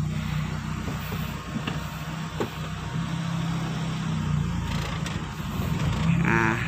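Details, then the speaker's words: 1990s Toyota Corolla carburetor, previously stalling when releasing the clutch in first: after idle set to 850 rpm, low steady rumble holds without dipping as the car pulls away in first; no stall. "Nah jadi untuk pada saat kita lepas teman-teman untuk bagian Mesinnya tidak mati"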